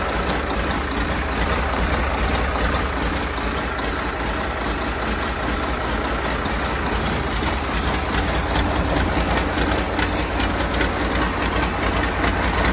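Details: Rebuilt diesel engine, first start: even steady low chug at idle, no bangs, misses or knocking; started very easily, oil pressure holding, only an injector pipe leak noted. Healthy.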